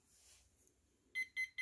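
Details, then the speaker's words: CSMI VLV360 RC hydraulic excavator speed controller powered up with radio off: four even high beeps about four per second; ESC powered and ready but not arming without radio signal. "so if you're hearing that beep it means it's ready to go but there is no signal from the radio right"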